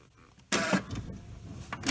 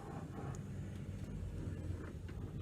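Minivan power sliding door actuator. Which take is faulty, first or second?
first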